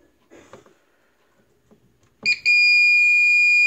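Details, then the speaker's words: APC Back-UPS XS 1300 desktop UPS (new battery, can't hold load on battery). After the thermal sensor wire was cut open, there are handling clicks, then a sudden steady shrill tone: still the F07 temperature fault, so the sensor was probably good. "yep still the fo7 okay so maybe that temperature sensor was good"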